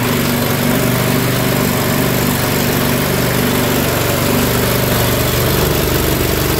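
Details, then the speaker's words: Bobcat swapped to Predator 670 22 hp petrol engine replacing original diesel: steady rough idle drone with faint hum; hydraulics making some noise, cause unknown. "okay they hear the Hydraulics making some noise"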